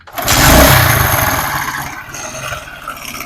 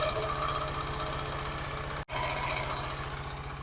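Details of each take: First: Motorcycle engine idling with a rapid, light metallic clatter from a slack timing chain; the fix planned is fitting a cheap tensioner spring. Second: Small single-cylinder motorcycle engine idling after fitting a new spring and tightening the 14 mm nut, steady low thump with no tapping or rattle on top; engine noise fixed, idle clean and even.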